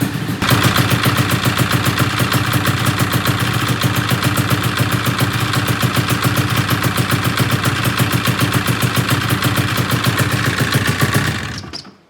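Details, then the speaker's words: 1997 XC 700 twin two-stroke with early twin pipes, SLP jetting, back on the original CDI; lumpy stuttering idle with clatter, one cylinder flooding and misfiring; owner suspects a stuck choke and plans to check crank phasing. "That idle, it sounds like absolute dog shit, and this is super cool compared to that one."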